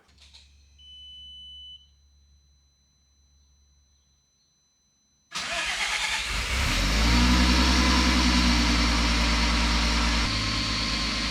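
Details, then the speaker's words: MK4 VW Golf VR6 being stripped of its wiring harness for a mid-engine Civic swap, restarted after a plug was pulled: engine catches sharply after a pause and settles to a steady even idle, no misses or knocks; running fine, no new codes. "I mean, it sounds like it's running fine."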